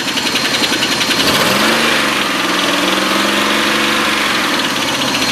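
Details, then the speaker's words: Oldsmobile Silhouette van at idle, top-end valve train: light rapid tinny ticking that softens and engine smooths when revved; cause found to be a loose rocker arm bolt, also causing misfire. "So I'm thinking it's the valve train. But I'll fire this thing up and I'll let you listen, and hopefully the camera will pick it up. And you can kind of hear it. It sounds like it's coming from that area."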